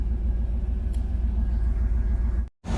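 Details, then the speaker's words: Chevy El Camino G-body with LS swap and Holley EFI, slightly warm, after fixing the air-fuel reading problem traced to the O2 sensor (AFR now about 14): low, steady idle rumble with even firing pulses, no skips or stumbles; normal idle. "hey that's that's a lot better you see it uh it'll shoot up a little bit it comes back down right where it should be"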